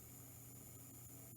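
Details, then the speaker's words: Old proprietary computer PSU (possibly Lenovo) running with parts removed, fan connected, 12 V output: faint buzzy hum and thin fan whistle, transformers buzzing, suspected from missing main filter capacitor leaving unsmoothed voltage. "do you hear that noise that humming that buzzing noise that is from the lack of a main filter capacitor i'm pretty sure that's got to be what it is because the voltage is not smooth now so it's humming making those transformers buzz"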